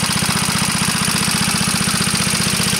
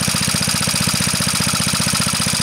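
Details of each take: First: Antique Onan PE-88 military power unit (350 W, 115 V 60 cycle, 12 V charging) running on load: quick, even single-cylinder beat with no misfire and audible valve clatter; governor responds to load changes, normal running. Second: Onan PE-88 US military power unit (350W, 115V 60-cycle, 12V charging), running on load with the governor responding: steady rapid light valve clacking, about twelve per second. Valve clatter from excessive valve lash; needs adjusting.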